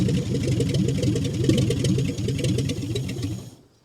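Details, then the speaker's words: 1959 Chevy Biscayne, with the idle screw backed out two to three turns and the carburetor leaking from the bottom: a strong, even, lopey idle burble with no knocks or misses, so it runs well. "all right I would say that runs pretty good"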